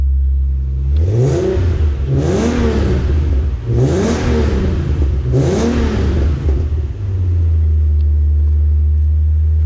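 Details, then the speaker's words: 1993 Nissan 300ZX with Stillen headers and Billy Boat exhaust, no smoke on startup; steady idle then four quick throttle blips rising and falling cleanly, crisp deep exhaust note, normal revving. "great sound with the Stillen headers with the Billy Boat exhaust on there. It sounds like a little Ferrari 308 GTS, but you be the judge of that."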